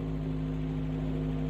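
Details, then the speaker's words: 1996 Tracker with a previous dead miss on cylinder 1 runs smooth and even with a steady hum, but idles a little high; the high idle is still to be dealt with. "Smooth. It's idling a little bit high though, but we'll deal with that."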